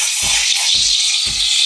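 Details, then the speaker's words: Sage Barista Express steam wand just inside the milk top, jug angled: steady high steam hiss with thin chirping whistle and soft flutter about twice a second, creating milk foam; normal milk texturing. "I can hear the chirping. So you get a nice swirl on your milk and you can hear the chirping. That little chirping noise is just creating the milk foam."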